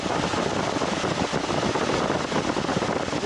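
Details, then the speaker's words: 1986 Honda VT700 Shadow with sidecar, hot after climbing against the wind with temperature rising; cooling fan had not switched on, terminal removed and connected to frame, now steady airy rush of radiator fan spinning freely, running normally. "I carefully removed the terminal from it and tried to connect it to the frame of the motorcycle. Now I moved it and it turned on and started working."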